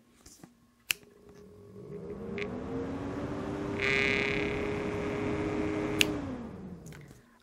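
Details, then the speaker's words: In a new high-end PC build, the Cooler Master MasterLiquid ML240R cooler fan spins up with a rough, buzzy rattle over its hum, then winds down; the replacement Alphacool Eisbaer 280 fan has no rattle. "listen to the fan I hate that rattle drives me crazy you do that one more time and listen for that rattle"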